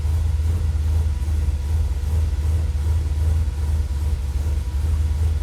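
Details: Dodge/Mopar truck with Holley Sniper EFI, warm at about 185 after five minutes idling: deep rumble swells and sags a couple of times a second as the IAC hunts; grounds, plugs and wiring checked, ferrite chokes added, cause unknown.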